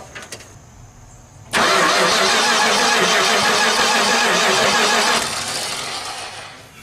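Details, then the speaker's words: 1978 Dodge D100 truck after sitting almost 20 years, Chrysler starter: about four seconds of steady cranking that never catches, then winds down; no power suspected, likely from unattached wiring or a bad ignition part, unconfirmed. "chrysler starters i'm pretty sure that there's just no power to it though which probably has something to do with all of this stuff that isn't attached to anything"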